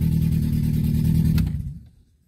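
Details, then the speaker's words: 1991 Honda Civic EF hatchback (ED6), first start after replacing the fuel tank, pump and filter, with about two gallons in the tank: a short, firm, clean and even rev before shutdown. The car now runs properly. "all right we have a fully running car now that is great"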